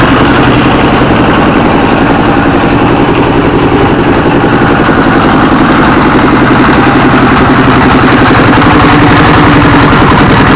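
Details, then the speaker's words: S1115 24 HP single-cylinder diesel that had thick black smoke and surging throttle; after service it runs normally and is ready for work, with a steady, even clatter at a settled idle and no stumbling or hunting. "dan nih tadi sudah normal sudah wajar ya Eh dan ini besok bisa buat kerja lagi"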